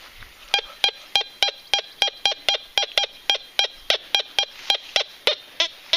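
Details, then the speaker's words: Fisher Gold Bug metal detector with the small coil over a very thin gold coin, with iron nearby picked up much less. Crisp high beeps, about three a second, over a quiet background; the response is fast: a clean non-ferrous target tone. "Niveau puissance peut-être un peu plus, mais elle est vraiment très fine la monnaie en or. Il apprend très bien quoi, et il est rapide surtout."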